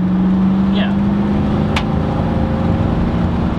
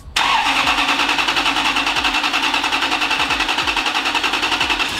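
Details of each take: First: Toyota Sequoia 2UZ V8 with new custom exhaust and high-flow catalytic converters: deep, even drone at low revs with only an occasional faint exhaust clap; much less clappy, sounds healthy and fairly quiet. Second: exhaust sounds sounds loud sounds raspy but i think it'll be perfect maybe we'll see ah it kind of sounds like one of the leaned out trucks just like needs cats honestly that's what it needs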